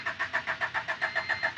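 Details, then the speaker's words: Honda EF Civic after work including a replacement intermediate shaft: starter churns at about seven even beats a second and never catches; no fuel yet in the fuel filter, needs priming. "It has to get fuel in the fuel filter."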